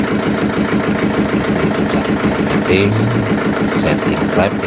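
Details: Yulin 2105 diesel rice-mill engine after fixing leaking valves (hard start, compression leak, hissing) by reseating and setting both valves: steady, even chug about three beats a second, no ticking or hiss; runs at high and low throttle, normal.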